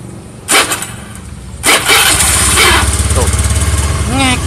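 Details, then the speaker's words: Honda Beat FI scooter: engine catches after a couple of cranking bursts, then a short rising squeak right after starting; starter motor dirty or dry inside, needs cleaning and fresh grease, no parts replaced. "gimana ngobatinnya ini enggak ada yang harus diganti Man untuk perawatan aja masih paste di dalamnya itu dinamo staternya kotor atau kering"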